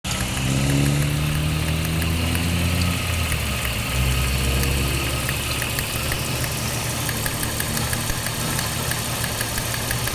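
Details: 1995 Jeep Cherokee XJ six-cylinder engine idling with an uneven, loping beat, misfiring from a cracked spark plug.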